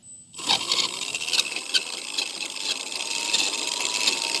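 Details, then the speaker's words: Red Cat Racing Everest Gen 7 RC motor after fixing its squeak, microphone beside it: spins up to a steady, high, even whir with no squeak. "that how smooth that sounds now there you go"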